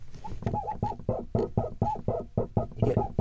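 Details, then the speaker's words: Fiat 500 clutch pedal pressed in the footwell: rapid squeaky, creaky chirps with a sticky, stiff feel, traced to a dry, binding clutch slave cylinder. "So what I'm kind of hoping, it's either the master or the slave cylinder that's making this strange sound."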